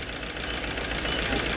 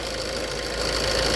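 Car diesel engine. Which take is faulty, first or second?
first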